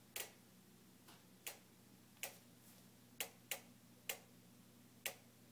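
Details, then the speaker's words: Newly purchased Jenn-Air stove's igniter randomly ticks nonstop for a minute, sharp dry ticks every half second to a second, continuing even when switched off; repairmen visited repeatedly without fixing it. "this is the sound of my jenn-air stove newly purchased which randomly makes a ticking noise we've had a repairman here three times and they can't fix it so far it's been ticking for a minute straight"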